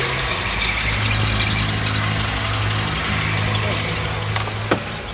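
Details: Hyundai Tucson idling with clutch pedal being pressed, bearing noise begun three or four days earlier: steady whirring squeal on top; clutch release bearing noise.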